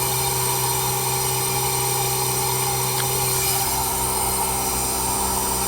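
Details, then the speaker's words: Newly installed heat pump, switched from cooling to heating mode after vacuum pull-down: steady low hum under an even fan rush, no rattles or surges; running quietly and normally. "Nice and cold. Can barely hear the thing running."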